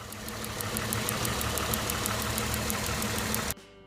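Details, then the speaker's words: Misfire persisting after the customer replaced the spark plugs, heard at idle: regular tick about three times a second over an uneven, lumpy note, the stumble of a misfire. "Customers said they just replaced the spark plugs and it's still got a misfire."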